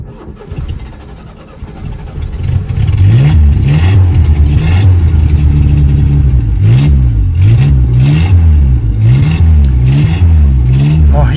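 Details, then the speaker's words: Renault 16 before its new exhaust is fitted, started with a little choke on a hot day, ignition timing seemingly too advanced: lumpy, revving run with a tinny rattle over the low drone; the old exhaust is worn out. "est grand temps que je le change cet échappement."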